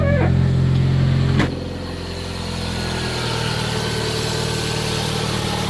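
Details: Toyota Caldina ST215 with a 3S-GTE and Link Storm ECU, not run for about two years, after an earth fault was fixed: revs drop sharply, then it settles into a steady, even idle with a smooth hum. Running normally.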